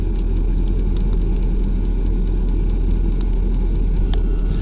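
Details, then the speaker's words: New 5 kW 12V diesel air heater in truck bed, lit instantly on first start, on setting three, heat coming out: steady low combustion roar with faint regular pump ticking, no surging. Normal running. "so this is the 5 kilow diesel heater it just lit instantly yep there's the heat sweet that thing worked quick"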